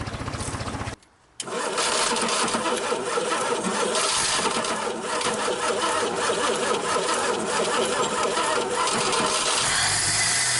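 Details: 1961 Dodge Lancer, first start in 30 years after fixing something rubbing: brief stumble then steady even beat with no knocks; running good.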